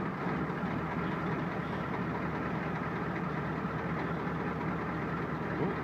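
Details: Ford 7.3 diesel cold start on a cold morning, around 39°F, after glow plugs cycle, with some smoke: deep, steady rumble with an even low beat and no misfire or knocking; healthy cold idle.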